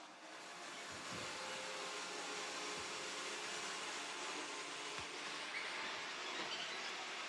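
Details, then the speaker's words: Ecovacs Deebot DN622 robot vacuum, after service and new battery, test run without side brushes: steady high-pitched fan hiss with faint motor hum, even and unbroken, running normally and lasting well on the battery. "this thing is still going through its test run. I've not even got the side brushes fitted, and it's lasting well. Battery is good"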